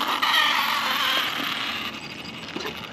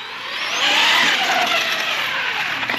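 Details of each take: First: Arrma Big Rock 6S RTR with Hobbywing ESC on new firmware and brand-new battery packs: at low-voltage cutoff the motor sits making a dry rapid ratcheting creak/click, about four a second, fading as power drops; odd noise, cause unclear. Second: Arrma Big Rock 6S RC truck after firmware update and rebinding: clean electric motor whine climbing smoothly with full trigger pulls and fading on release, no stutter or cut-outs; drive sounds healthy.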